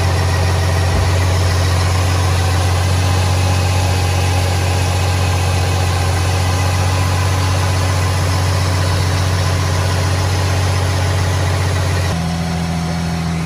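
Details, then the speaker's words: Nissan 350Z VQ35HR after serpentine belt replacement: engine catches and settles into a smooth, even idle with a steady low hum, much quieter than before with no belt squeal or chirp; normal idle. "you guys hear that how nice and quiet it is compared to before what a beauty this is what i like to see"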